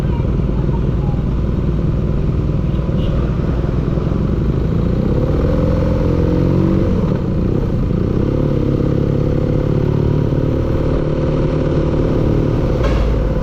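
Steady low-pitched engine run with a dull clattering knock riding through it at idle; a knock from inside the engine.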